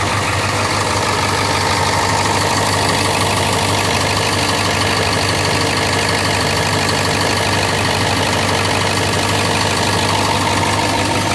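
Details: 2002 International bus chassis with T444E diesel idling loudly, a sharp puffing tick about three times a second over the clatter from several exhaust leaks on both sides; exhaust leaks.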